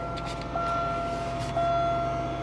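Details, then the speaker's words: 1998 Buick Park Avenue cold start after sitting a long time on a weak, briefly charged battery, recorded from inside the cabin: smooth idle, compressor audible at the rear, and a faint high whine from under the hood, source unknown. "started up pretty good actually you can hear the compressor in the back running you hear the something under the hood whining a little bit I haven't fired It Up In Forever"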